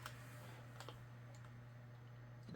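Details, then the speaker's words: Laptop with a proprietary CD drive, imperfect since purchase and now worse: faint irregular clicks over a low electrical hum while trying to read a disc; failing optical drive. "when I first got this computer earlier this year it wasn't per the CD drive wasn't perfect it still made this noise but still work most of the time but it seems like since the last time I've used it it's gotten even worse"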